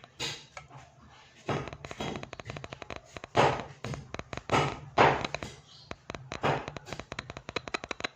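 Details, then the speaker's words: Polytron PMA 9502 subwoofer removed and tested with an analog multimeter after suspecting a burnt voice coil: irregular scratchy crackles and pops in bursts as the leads touch; voice coil intact, green-blue wire suspected broken. "Kita tes seperti ini, seharusnya dia muncul suara kretek-kretek. Nah, di sini bisa teman-teman dengar, di sini muncul kretek-kretek."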